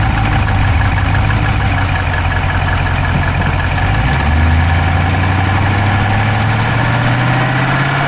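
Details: Dodge Charger Hemi V8 at steady idle, recorded inside the driver's-side engine bay: a fast, light ticking keeping pace with engine speed. No exhaust smoke, so the owner doubts a dropped valve; cause not pinned down.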